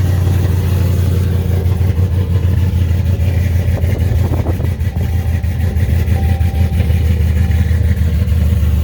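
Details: 2018 Dodge Charger R/T V8 with Jay Greene 217/238 cam, long-tube headers, full exhaust, intake and Diablo tune, warmed up a little: deep, loud, steady rumble with lumpy cam lope, no ticking, knocking or grinding. Healthy revving.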